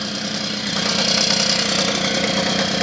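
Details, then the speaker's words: Puch Maxi moped started for the first time in 40 years: small two-stroke buzzing at idle with a faint, light knock beneath it from a dry crankshaft bearing after long storage. "that you can hear a bit now is the Kurbewelle. This long service life means the bearing is naturally dry"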